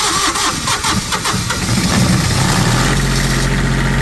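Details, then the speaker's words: Allmand Nightlight Pro 2 diesel light tower that cranked but would not start, after cleaning, sanding and tightening a dirty white wire connection: short crank, catches and settles to a steady even idle; normal start and idle. "And then I walked back over here and cranked it with a switch."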